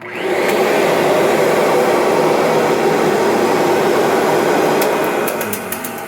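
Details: 1998 Kirby Generation 5 upright vacuum (the better-condition second unit) running: steady loud rushing motor roar with a slight rough edge, no clear squeal; owner says it sounds about time for a new belt.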